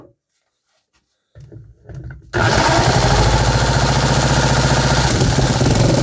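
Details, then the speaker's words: 3D-printed 125cc single-cylinder four-stroke after vacuum-leak fixes, including O-ring valve stem seals: fires and settles into an even, quick beat with no misfires or stumbles. Running properly. "There we go, now we are talking. The engine actually works properly now, no more misfires. Everything runs smooth."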